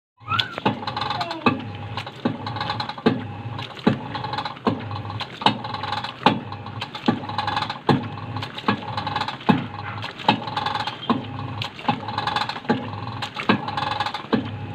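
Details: Union Tech top-load automatic washing machine, after installing a replacement gearbox unit: a sharp click repeats about every one and a half seconds, steady through the spin cycle; clicking gearbox during spin.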